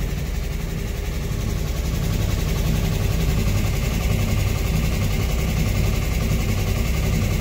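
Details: 1964 Chevrolet Corvair, after cylinder head reinstall with new rings, warming up: loud raw lawnmower-like low rumble at steady idle; owner suspects exhaust leak, unconfirmed, later feels it isn't that loud.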